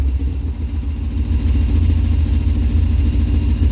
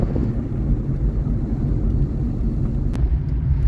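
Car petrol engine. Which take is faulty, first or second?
first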